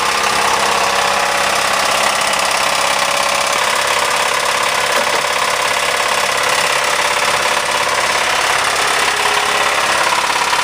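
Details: Ford 2.3L engine in a Mazda Tribute/Ford Escape with a failed #2 rod bearing and a step worn at the crank journal edge: very loud, harsh rod knock while running.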